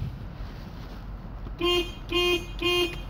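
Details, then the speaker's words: New replacement horn on a 1990 Mazda RX7 convertible: three short, clean, steady mid-pitched blasts with no rasp; the original horn was judged possibly slightly louder. "We're going to hear the sound of the new horn. This is the new one."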